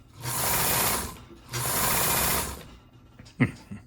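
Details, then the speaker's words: Kenmore 158.523 sewing machine after an adjustment fixed the stitch regulator problem: two smooth, even bursts of needle chatter at steady speed, no knocking or binding; runs normally, though the motor sparks when slowing and may still need work. "Overall sounds good. Um Once the motor slowed down a little bit you got quite a few sparks."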